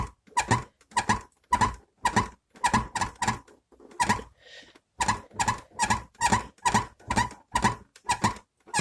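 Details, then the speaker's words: Renault Logan door pushed by hand: sharp plastic creak about twice a second, heard on gravel and bad roads; worn door latch striker, fixed with homemade bushings. "Как только вы сворачиваете на грунтовую или гравийную дорогу, двери начинают скрипеть. Его очень легко распознать. Просто надавите рукой на дверь вот так , и вы услышите этот звук."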